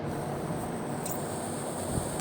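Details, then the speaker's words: Vacuum check valve canister off the brake booster, behind HVAC blend doors switching to defrost on acceleration: steady soft hiss as air is sucked straight through the removed valve; leaking vacuum check valve. "So if I take this and I suck in, you can hear air flow. I can suck in through it."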